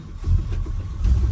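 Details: 1968 Dodge Dart sedan, 360 V8, freshly started with random, late initial timing: deep, even V8 rumble with slight rev swell, no ticking or puffing; runs clean, though a slight exhaust leak is noted at cylinder two afterward.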